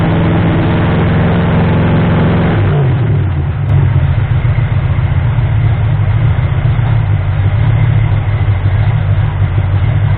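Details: Ford 351M V8 being diagnosed for misfire and rough idle. After a throttle blip the revs fall away to a low idle that still sounds slightly lumpy and uneven. The owner suspects ignition timing, and the balancer timing ring had spun. Not confirmed.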